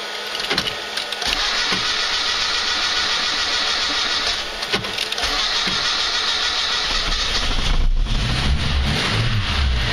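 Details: Slavuta 1.2 carburetor car on 2nd-generation LPG, started on gas in a sub-zero garage (about -11°C outside), clutch pressed, reducer warmed to about body temperature, third attempt. Cranking, then it catches and settles into steady running: normal cold start.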